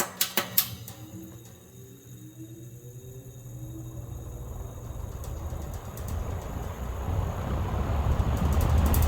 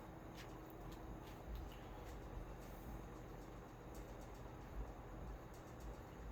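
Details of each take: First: Mid-1960s Hunter Zephair 20" box fan, model FZ-20P, restarted on high: switch clicks, then building airy whoosh over a steady low motor buzz; owner suspects the motor could use revarnishing. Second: Mid-1960s Hunter-made 20" Zephair box fan, running after new cord and replaced dry-rotted motor leads: steady airy rush with slight startup whine and faint grille ticks, otherwise a quiet, smooth-running fan.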